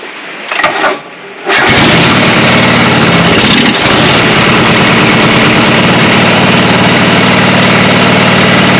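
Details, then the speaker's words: John Deere 425 mower after new spark plugs, carburetor fuel solenoid and electric fuel pump priming: brief crank, then catches and runs steady and even; normal running. "fuel okay that's more like it"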